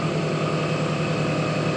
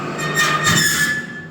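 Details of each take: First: Carruthers AE5000-2D with blades and belts removed, test running motors: smooth constant electric hum, no knocks or bearing noise; two horsepower spiral motor drawing about 1.5 amps no load, motors running normally. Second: Carruthers AE5000-2D test run with blades and belts removed, motors under no load (2 hp spiral motor 1.5 A, 5 hp gang 3.1 A): a thin high squeal rides over the mechanical rush and fades; noisy, needs adjusting.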